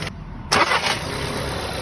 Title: 真正的家用车引擎声 | 二手车验车必听发动机是否有异响 the engine sound of normal car